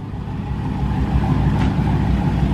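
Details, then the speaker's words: 2016 Dodge Hellcat (Copart rebuild, Metco supercharger pulley) warming up at idle after the build; deep, steady supercharged V8 burble with no knocks, misses or whine; normal warm-up idle. "that warm up a little bit let it idle let all the fluids run through it all that good stuff"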